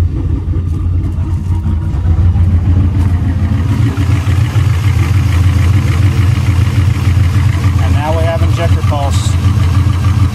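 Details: V8 with Holley Dominator EFI idling lumpy and uneven on only about half its cylinders (1, 2, 3, 4 misfiring) because they lost injector pulse. Cycling key power to the ECU normally cures it.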